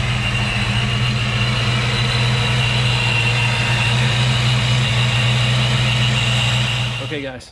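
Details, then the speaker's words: Fox-body Mustang Saleen SA10-chassis build, supercharged, idling after replacing the fan clutch, MSD coil and supercharger belt: steady even idle with a clean low hum and no fan roar. Running normally after repair. "oh yeah that's a lot better no more roar from the fan"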